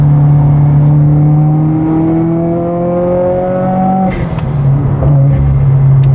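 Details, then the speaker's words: 2015 Subaru WRX with air suspension on freeway after fuel pump and filter replacement, pull at 60 mph: strong smooth evenly rising engine tone, no misses or knocks, then eases off; normal acceleration. "Dude, the car feels great. We're at 60, doing a little 60 pull."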